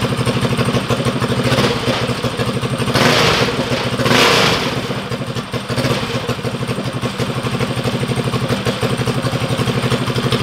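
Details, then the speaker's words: First break-in start of a Stage 4 Tillotson engine on a drag mini bike, run indoors: loud, steady single-cylinder idle, even firing pulses about three per second, a couple of light blips; healthy normal idle. "all right break in start of the stage four engine can we go ahead make sure she got gas it's definitely loud yeah"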